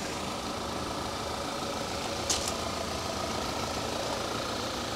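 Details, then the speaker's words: 2011 Audi A5 manual auction car, oily engine, check engine light on: quiet even idle under steady hiss, no knocks, misses or ticks; normal idle. "Audi just does things differently but it doesn't sound too bad at all"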